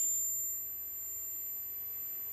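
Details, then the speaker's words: 2006 Maruti Swift petrol with misfire complaint; multimeter on continuity between an injector wire and battery negative gives a steady high-pitched tone, which should not happen, suspected body ground or ECM power problem. "ये minus पे रखने से continuity आ रहा है, लेकिन ऐसा नहीं आना चाहिए दोस्तों।"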